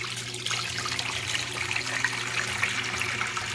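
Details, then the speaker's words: Brastemp Ative 11 kg washing machine that won't wash or spin, set to spin: steady low drain pump hum under rushing, gurgling water as it empties the rest; pump works normally. "aqui ó ela vai botar o restinho da água para fora aqui ó ó a bomba tá trabalhando a bomba"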